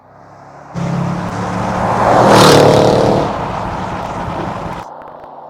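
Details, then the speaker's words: Range Rover Sport SVR, replacement 5.0 L engine fitted after a major failure, on a road test at full throttle: roar climbs smoothly through the revs with no misfire, knock or stumble; healthy. "it does sound nice there's no one about to day well certainly gets up and goes will"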